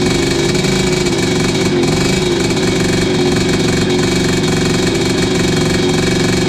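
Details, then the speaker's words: 1986 Tecate 3 two-stroke after rebuild (new bore, piston, crank) and timing advanced from marks, during heat cycle: steady buzzy beat with slight unevenness, running fine but a little rough on the 500 carb. "That 500 carb ain't really making it too happy, but it's running."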